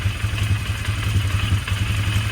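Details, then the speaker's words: 1999 Polaris Sportsman 500 single, first fire-up after a fuel pump replacement on a temporarily fitted gas tank. The low thumping idle is lumpy and uneven, with pulses wandering in strength: running rough, and the carburetor still needs tweaking. "well it's [Music] running a little bit of gas [Applause] [Applause] [Music] [Music] running not running smooth as I like to see"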